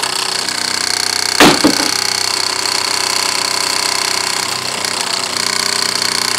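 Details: Wilesco D6 model steam engine brought up to pressure, with a small leak at the whistle losing some pressure: steady steam hiss with a light, quick chuff of about four beats a second, running evenly; normal running.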